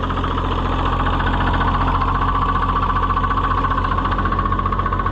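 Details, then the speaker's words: Oliver 77 tractor, first cold run after reassembly: a regular hammering knock, about four per second, over the idle. The owner wonders whether it is the transmission or the hydraulic pump. Cause unconfirmed. "like a hammering in the transmission or would that be the would that be the uh hydraulic pump"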